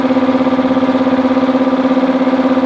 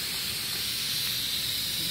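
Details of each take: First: Multipro 2 HP (2.2 kW single-phase) air compressor after cleaning dirt from the check valve, filling tank: steady even pumping beat around three per second with clean level hum, no faltering; leak fixed, normal. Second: Multipro 2 HP electric air compressor not filling, motor stopped: steady high hiss as tank air leaks back past the check valve to the pressure switch.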